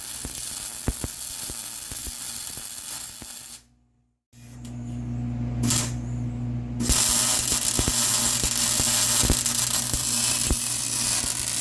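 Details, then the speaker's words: MIG welding on the Honda Odyssey FL350 electric (500e motor) build after dropping wire speed to 5.5: crisp, steady frying-bacon crackle through the pass apart from one short stop; sounds way better, wire speed and voltage well matched, normal weld. "That sounds way better. See, way better. Yep. Yeah, it just sounds better too."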